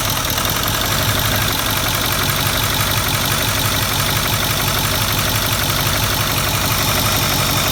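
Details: 2008 Ford 6.4L Powerstroke diesel idling with the valve cover off, started by remote start without glow plugs connected: steady clatter with a quick, fairly even tapping about three per second; knock source unknown.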